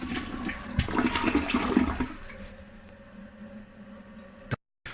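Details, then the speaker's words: Toilet flushing: a rushing flush, then a steady low hum with a thin whine as the tank refills. Unusual noise, cause unknown. "my toilet is like make all these weird noise it's like trying to communicate with me"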